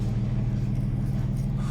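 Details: Peugeot 406 V6 manual idling after a cylinder 5 misfire and limp-mode repair that included spark plug gap checks: smooth, even low rumble with no stumble; misfire and limp mode gone.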